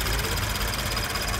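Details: Toyota GT86 with Subaru FA20 engine at idle: fast, even cricket-like chatter louder than normal injector tick, from the high pressure fuel pump, attributed to high-alcohol fuel (Shell V-Power Nitro+) starving a pump metal washer of lubrication.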